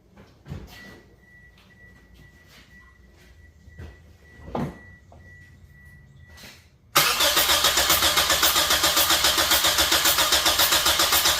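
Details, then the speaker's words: Toyota cranked with accelerator floored during crank and manual compression test: brisk, even starter beat near four per second, compression evenly matched, reaching 175 psi; normal cranking, good compression. "that should have been enough I usually crank them until they get to their maximum compression 150 160 170 175 on the money so we have 175 lbs of pressure"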